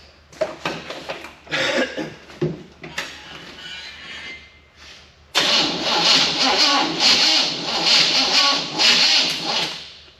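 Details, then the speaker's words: 1974 Chevy K20 small block after sitting outside for years, distributor timing being set: sluggish, dragging cranking bursts that fade, sounding like only two cylinders firing, battery running out; almost 30 psi oil pressure while cranking. Finding: slow cranking. "it builds good oil pressure just from turning over that slow getting almost 30 lb oh that ain't bad"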